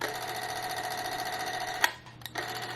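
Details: 8mm movie camera's wind-up spring mechanism, dial set to R for run; fine, steady whirring tick at constant speed, then a click as it stops; the mechanism runs normally.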